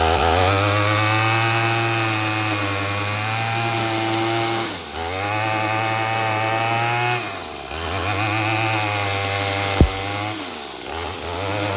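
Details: Troy-Bilt TB22EC two-stroke string trimmer, a no-start after sitting unused, now running after a primer bulb replacement: the buzz climbs and drops cleanly with the throttle and holds steady at each speed, running healthy.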